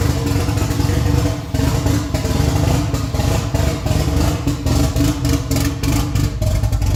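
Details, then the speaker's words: Freshly rebuilt Nissan 180SX SR engine, first start after 10 months, no exhaust and no intercooler piping: loud open-pipe idle rising and sagging unevenly with choppy dips, lumpy like a big cam; hunting lumpy idle. "It sounded so mean with the no exhaust and no intercooler piping, so it was a hunting idle. It was lumpy as. It sounded like it had the biggest cam in the world in it."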